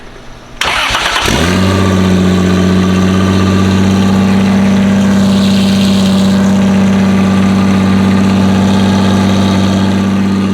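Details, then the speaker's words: 2JZ-swapped FRS mystery project, serpentine belt removed, loud open up-pipe: cranks briefly, catches and settles into a loud, even idle with a deep drone and no knocks; motor good. "it sounds good it sounds good I mean it sounds awful but it sounds good it sounds good though called it I called it good engine Jay"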